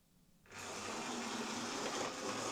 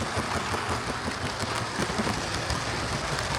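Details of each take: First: Old Hornby HST model locomotive test-run before service, new brushes and a wiring check. It sounds a bit rough, an uneven gritty whirr, and takes a bit of power to pull away. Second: Hornby HST model power car running after service; one of the pair had its motor replaced and its bogie frames swapped. Even, steady motor and wheel rush with no knocks; both run okay now, normal running.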